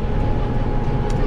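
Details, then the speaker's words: Tractor sowing oats on a hilly field on a warm day: deep steady roar with low rumble and even tone as the cooling fan hums, working hard under load, as normal. "słychać jak tutaj wentylator buczy"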